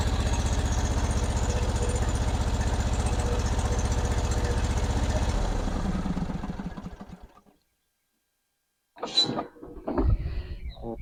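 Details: John Deere LA-series (LA150) riding mower engine running with a strong, even low thump, then coasting smoothly to a stop at shutoff, after a cold-engine valve adjustment that cured its hard starting; runs healthy.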